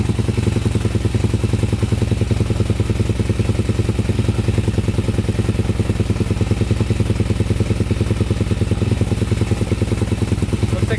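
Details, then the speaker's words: 2001 Honda 400EX single-cylinder quad, first start after new stator: fast, even thumping held well above normal idle because the throttle cable is stuck open, with the choke on and smoke possibly from burning old oil; the fix is adjusting or rerouting the cable. "oh yeah the throttle is really high up it's stuck up right there so i think we gotta adjust it right here"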